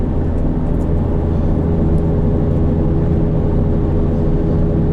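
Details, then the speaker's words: 2008 Subaru Outback automatic, 198,000 miles, driving on highway: steady deep droning roar like a 737 on takeoff, no knocks; owner says a wheel bearing is on the way out. "it just kind of sounds like a 737 at full tilt on takeoff."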